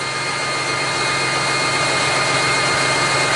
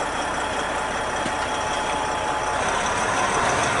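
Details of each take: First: Big truck diesel just after its first start following starter installation and battery cable repair for a no-crank no-start, expected to smooth out: steady, even idle with constant hiss and hum, no knocks or misses; running normally. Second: Big truck for local work, after cleaning starter cables: starter drags engine over slowly, about three and a half labored turns a second, but starts each time; owner plans to change the starter and test the batteries for a bad one dragging the bank down.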